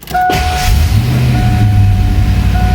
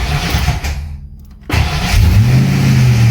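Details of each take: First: Fox Body Mustang on jack stands after upgrading to a high-torque mini starter rewired the Ford way: brief crank catches quickly and settles into an even running rumble with no lingering starter whir; clean start. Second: Fox Body Mustang after fitting a high-torque mini starter wired a shortcut way: engine fires, but a steady drone hangs on as the starter stays engaged after the key is released; ignition switch or bad starter suspected, not confirmed.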